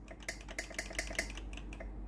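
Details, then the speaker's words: Philips GC9550 steam generator iron before repair, soleplate hot and ready light steady: steam button pressed, sharp dry valve ticks with no hiss; valve works but no steam because the boiler isn't heating, traced to a faulty thermal fuse. "ตัวนี้ได้ยินเสียงวาล์วน้ำทำงานปกตินะครับดังแต๊กๆนะครับแต่ไอ้น้ำไม่ออกนะครับ"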